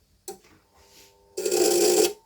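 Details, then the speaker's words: V-Guard Crystal voltage stabilizer, switched on: sharp click then loud steady buzzing inside for under a second with no normal hum, relay chatter and no output; unit also has a broken socket. "as you heard this noise appears and there is a buzzing noise inside but there is no output from the stabilizer"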